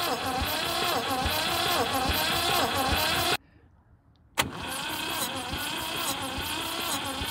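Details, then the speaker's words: 1971 MGB pulled from the woods after 20 years, cranking on the starter: rhythmic chuffs about three per second, some beats weaker, okay compression on some cylinders but not others; stuck valves suspected. "all right so as you as you saw spun over okay has okay compression on some but not on others so if everything sounds good so far but I think we've got some stuck valves"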